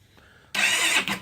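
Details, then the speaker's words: GY6 scooter engine after top-end work, first start attempt: a short fast starter whir under a second, no firing. It spins but won't start; battery voltage drops from 14 to 10.5 V when cranking. "You see here it's spinning, but it's not kicking over yet."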